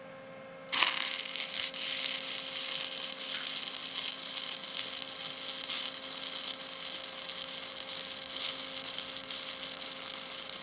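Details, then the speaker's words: Stick welding a 6-inch Schedule 80 pipe, 6010 root and 7018 fill and cap; even crisp crackle like bacon frying, steady for ten seconds without pops or sputter. Correct arc length and travel speed; normal arc. "Yeah, that nice crisp sound that rod's making. It almost sounds like bacon crackling in a skillet. That's how you know you got your right arc length, right travel speed."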